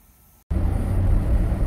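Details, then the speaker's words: 2005–06 Chevrolet Silverado after seized front hub bearing replacement (customer thought brakes were grinding), road test: smooth, even low road rumble at slow speed with no grind, growl or whirr; normal wheel bearing, no play. "Now it spins nice, it's quiet. No more issues there. There's no play in the wheel."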